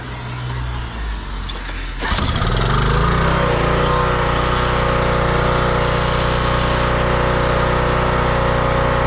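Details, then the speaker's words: Craftsman pressure washer after no-run troubleshooting, run without water or pressure. Pull-start catches after two seconds and settles into a steady, even small-engine drone with no misses or knocks; running normally, pump works. "I think we're good yeah I just wanted to make sure the pump did work"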